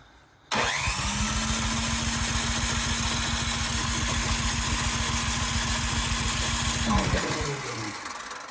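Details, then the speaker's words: Cub Cadet 528 snowblower, electric start, primed and choked: starter spins engine briskly and evenly for six seconds, no firing; owner suspects plugged carburetor jet, no fuel delivery; cranks but won't start. "I wonder if my uh jet also is plugged up on the carburetor. Although it should still start with priming H."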